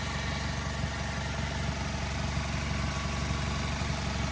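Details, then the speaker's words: 2010 Mazda3 i, 2.0L four-cylinder with 5-speed automatic, 170,891 miles, new plugs and coils, fresh oil, heard in the engine bay: a quiet, smooth, even idle with no knocks, rattles or vibrations. Healthy. "you guys can tell, nice and smooth running engine. No odd noises or vibrations or anything like that."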